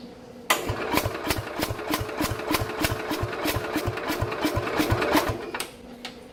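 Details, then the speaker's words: 1969 Bolens 850 tractor, Wisconsin S8D 8¼ hp engine, unused three years, little throttle and choke: slow even cranking about three turns a second with weak firing puffs; catches but won't keep running, owner suspects very low compression. "See, it just doesn't have enough guts to do anything, I guess. It's just like enough to basically help the starter along a little bit, turning the engine over, but it's not enough that it can run on its own."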